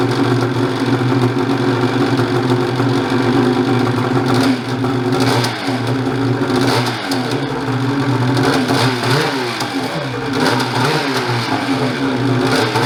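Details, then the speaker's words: Banack-built turbo Gen 4 Ski-Doo 850 two-stroke sled, after a fuel pump upgrade, new fuel filter and intake modifications. Fired in 3 pulls and holds a fairly even, steady idle with a few light throttle blips; the earlier weird idle is improved. "So it didn't really take much to fire it up. 3 pulls and fired right up. So I'm pretty happy with that. It did also before have a little bit of a weird idle, which it seemed way better today."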